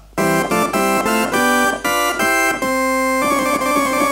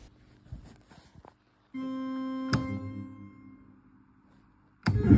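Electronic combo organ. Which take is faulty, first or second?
second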